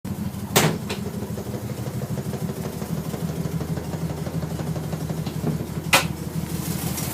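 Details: Nissan R33 with non-turbo RB25DE after sitting a day: cranks slowly, then idles lumpily with an uneven beat and sharp pops, misfiring for 5–10 minutes until warm while spitting water/fuel; coil packs and spark plugs replaced without change.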